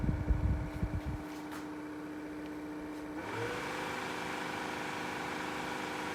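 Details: Ryobi One+ 18V cordless hybrid Whisper fan: handling bumps, then steady whir with thin whine stepping higher with speed changes; abnormal fan noise, cause unclear.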